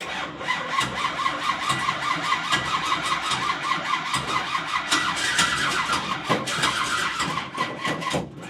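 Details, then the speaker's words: Big-block engine's first start attempt, with old moisture-contaminated oil drained: long rapid cranking with harsh rhythmic whirring chatter and occasional spits, never firing; starter and flywheel/flex plate engagement sounds unhappy, possibly not enough fuel. "it sounds like the starter flywheel situation flex plate situation is not too happy"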